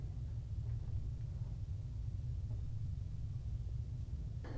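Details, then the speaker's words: New propane water heater, first cold start: smooth steady low burner roar with no popping, flutter or surging; condensation dripping from the cold tank onto the burner is normal and stops once warm. Normal operation. "eventually once the tank is warm it will no longer condensate on the outside of the tank or on the bottom of the tank and that will go away so this is a pretty normal situation with a new tank a cold tank when you first start it up"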